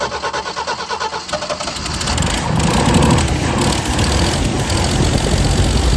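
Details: 1979 Jeep CJ5 after sitting since 2019, now fed fresh gas from a separate tank straight to the mechanical pump: lumpy, stumbling, surging running; carburetor leaking fuel and sucking air, rebuild kit needed.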